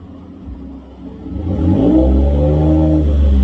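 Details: 2015 Ford F-150 Lariat, 3.5L EcoBoost, with a new Corsa exhaust and cold air intake: blip from low idle into a smooth, deep, even rev; mellow, not too loud, no rattles or misses.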